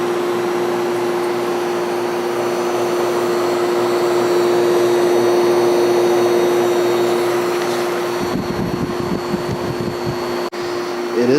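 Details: 1973 Whirlpool 6,000 BTU window air conditioner with a Seeger rotary compressor, opened up: a steady low hum under an even fan rush with no knock or rattle, running smoothly and cooling. The compressor stalled briefly at start, and a weak capacitor is suspected.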